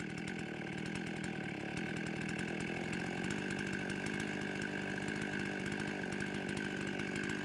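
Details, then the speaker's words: Steady high buzz with no surging or sputter from a warmed-up Husqvarna 55 chainsaw after carburetor base gasket repair and tuning; about 13,000 rpm, maybe a touch high, high jet at maximum richness; running clean. "all right i like the rpms they're sitting uh right at about 13. um sounded if anything it might be just a touch high but it's all the way at maximum richness on the high jet"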